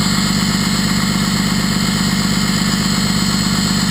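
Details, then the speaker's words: 6.2L Cummins with throttle-linked exhaust brake, heard from cab: steady loud deep jet-like roar with even pulse, no misses or rattles; exhaust brake working normally with strong braking, though switch is intermittent and wires are unsoldered. "pretty good sounds like a jet engine I'd say from in the cab big difference and it's got extremely awesome braking"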